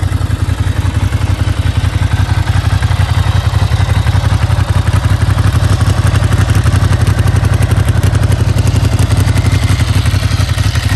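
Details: Ducati 900 Monster V-twin after fitting prepared big-valve cylinder heads, high-compression pistons and new ignition coils: deep, even throbbing pulse with a strong low beat and no knocks or rattles; runs clean and healthy.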